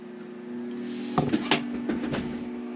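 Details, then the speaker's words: Victron IP22 Blue Smart 12V/30A charger on a LiFePO4 battery at about 13.5 V, raised from 15 to 30 A: low electrical hum steps up and holds steady with some clunks, normal charger and inverter hum. "You can hear everything kind of hum a little bit more. Getting a little hum off of this."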